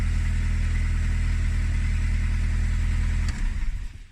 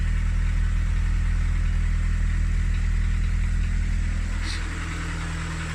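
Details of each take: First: VW Polo parts car's 100 hp BBZ engine, with a worn starter and a slight top-end tap: smooth, steady engine note held at high revs with no misses or knocks, then switched off. Runs well with plenty of power. Normal engine revving. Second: VW Polo 16v parts car for a Skoda Fabia conversion, idling; steady drone with a light, even tapping about two to three a second, apparently from the top end. Ticking at idle.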